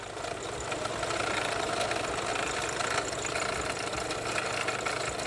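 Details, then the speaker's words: Car just started: odd steady hiss and faint rattle over a quiet idle; source unknown, possibly electrical but unconfirmed. "customer States I started my car and started hearing this"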